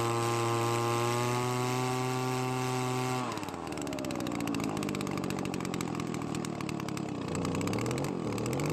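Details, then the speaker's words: Worn Echo two-stroke leaf blower that used to die after a minute, its carburetor adjusted far from normal: a steady buzz sags, then wanders unevenly and labours. Runs but very low on power from low compression. "well the blower works but it is very low on power as to be expected"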